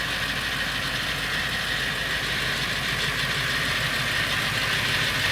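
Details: Late 1999 Ford F350 7.3L Powerstroke diesel at idle: fast, loose, uneven rattle over the diesel clatter, more pronounced under the truck; source unknown, owner wonders flexplate or engine.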